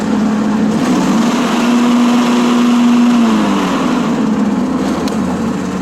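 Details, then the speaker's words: John Deere S140 with 48in deck after belt, idler and spindle work: deck engaged, steady even hum with no squeal, rattle or grind, a properly running deck. "You can lift the deck, make sure everything's working right, and I'm going to show you guys what it sounds like. Proper deck should sound like."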